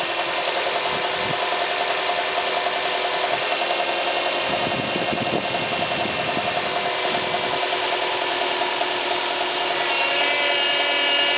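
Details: Subaru Impreza 1.5 at idle with the steering at full lock gives a steady moaning whine, and the steering is very heavy. Air entered the power steering system through a worn rubber seal on the return hose at the pump; replacing the seal fixed it.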